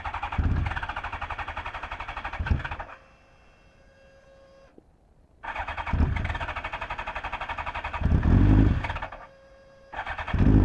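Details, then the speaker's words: Fuel-injected 1983 Honda CB1100F prototype, revived after 17+ years in storage, with a new fuel pump drawing about 2.5 A. Hard starting, especially when warmed up: the starter churns about four times a second, the engine catches briefly, dies, then cranks again. "the other problem that you saw when we tried to start it is that it's not real easy starting especially when it's warmed up"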